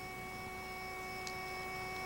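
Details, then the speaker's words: Garrett Ultra GTA metal detector (1991), after single-touchpad start with two beeps: faint steady hum with fixed pure tones, factory-preset threshold in coins mode with standard audio and preset sensitivity, ready to hunt, normal. "hear that threshold sound it's already been set for us at the factory and we're ready to hunt for coins"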